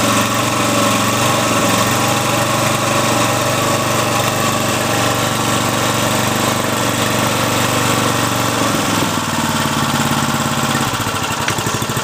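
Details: Briggs & Stratton 3.5 HP engine, little used, after freeing a jammed choke and fixing the carburettor: runs steadily at a fast, even beat with no misses or knocks, sounding healthy.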